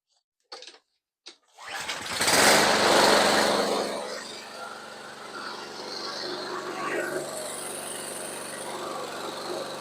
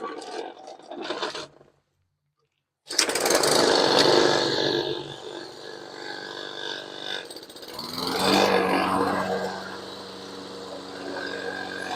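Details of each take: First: Toro Recycler 22-inch rear-wheel-drive mower with a Briggs & Stratton engine, after a carburetor cleaning and fresh non-ethanol gas. A pull, then it catches with a loud surge and settles into an uneven, wavering run. The spark plug was not seated properly, causing poor running. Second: Toro Recycler 22-inch Briggs & Stratton mower after the carburetor cleaning and valve check. After a brief pause the single-cylinder engine picks up and runs with a steady, even buzz, no misses or knocks. Running normally.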